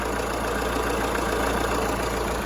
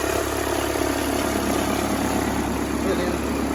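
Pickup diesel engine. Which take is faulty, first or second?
second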